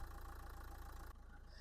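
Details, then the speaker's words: 2011 Nissan Qashqai 1.5 dCi K9K diesel, 222,000 km, engine bay open: low, even idle with soft regular pulses, no knocks or rattles; engine runs quiet and smooth, healthy. "Мотор працює тихо рівнобно. Весь пластик присутній, обезшумка присутня. 9К економний, надійний, простий."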